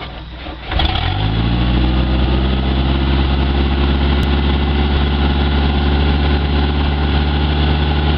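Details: Boat engine previously filled and run with diesel instead of gasoline, after flushing the complete fuel system: catches quickly on first crank, settles into steady even idle without misses or stumbles; runs well.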